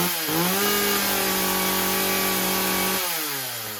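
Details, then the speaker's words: Husqvarna 36 two-stroke chainsaw, first start after fixing a stuck carburetor needle: fast steady idle that spins the chain, then drops as idle is turned down; idle speed was set too high. "okay I had to adjust idle down obviously it was too high chain was spinning like that so I turned the idle down so the chain stops"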